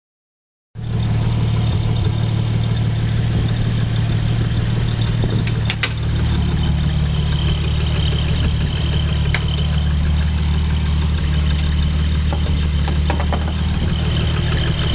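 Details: Nissan Skyline R33 RB25DET at idle: faint, uneven tick about three times a second from the timing belt cover area, going away with higher RPM; source undetermined.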